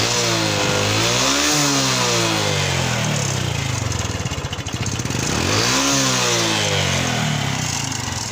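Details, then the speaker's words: Honda Revo Fit fuel-injected motorcycle, 10 years old, first service: engine revs up and down with a loose, rapid clattering knock from the front, thick white exhaust smoke. Suspected piston and cam chain noise. "repopit injection mesinnya Koplok Koplok Koplok Koplok koplakkoplak knalpotnya berasap putih tebal apanya ini tapi bukan di bagian kling jadi suara ini di sebelah k sama suara di bagian depan biasanya sih suara piston sama suara keteng"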